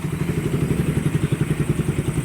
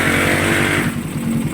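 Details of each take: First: Motorcycle after fixing owner's ticking noise complaint: ticking gone but fast regular clatter over idle, steady with engine speed, disappears when clutch lever pulled; suspected clutch housing or bearing, not pinned down; advised break-in. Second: Motorcycle, complaint of a ticking engine (fake parts warned against), after repair: a steady, even single-cylinder beat with no top-end ticking; the clutch still has a problem; normal idle.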